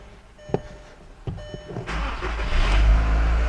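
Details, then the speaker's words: 1998–2005 VW 2.0L (Jetta/Beetle/GTI/Golf) after a timing belt change to fix an engine noise: a short crank, then a quick catch into a smooth, steady idle with no ticking or rattle. The check engine light is off. Normal start and idle. "sounds good alright let's make sure we're not in gear and give it a little gas"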